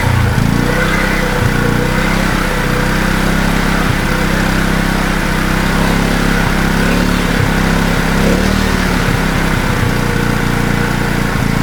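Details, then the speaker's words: Wacker Neuson GP2500 generator, Honda GX160 engine, throttle held by hand: rough, sagging and surging, won't idle on its own; owner says it is not getting enough fuel. "holding the throttle at the moment, but it doesn't seem to want to run taking the air filter off. That help help at all. Definitely not getting enough fuel."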